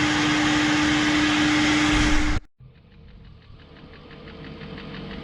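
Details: 2001 BMW E38 740i before VANOS rebuild: a loud air-sucking rush cuts off, then a light, regular top-end tick repeats over quiet idle; owner suspects worn VANOS unit seals.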